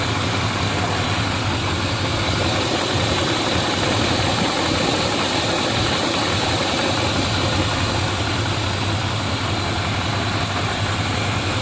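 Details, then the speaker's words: 2002-2007 Dodge Ram 1500 4.7L V8 after valve cover gasket replacement, first start: steady even idle, smooth unbroken rumble, no ticks or knocks; everything hooked up, running healthy. "Oh, so it's looking good so far. Don't appear that we've forgot to hook anything up."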